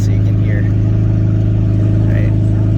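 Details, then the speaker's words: 2003 Toyota Prius hybrid with its catalytic converter stolen, driven on the freeway with the window open: deep steady droning roar far louder than stock, quiet on battery; loud exhaust from the missing catalytic converter. "you guys later so right now i get both i get the noisy car and i get the silent car is it gonna explode somebody's gonna call the police on me"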